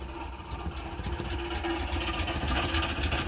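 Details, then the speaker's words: BMW Isetta at idle after engine work, still smoking too much: light metallic rattle about three or four a second over a quiet idle from the exhaust heat exchanger behind the seat; rattling heat exchanger. "oh and the rattling here is just the exhaust manifold the exhaust heat exchanger behind the that's the seat is rattling a bit"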